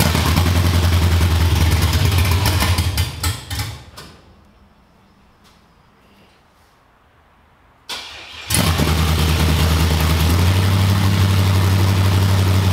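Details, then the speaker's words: Cammed LS V8 in a G-body, after troubleshooting an injector stuck open: deep steady rumble with rhythmic cam lope, cuts out, refires and settles to an even idle; no popping, flames or smoke; normal idle. "this time it wasn't popping it wasn't shooting flames it wasn't doing nothing that was the cleanest this car has ever ran like literally no smoke no heavy gas smell"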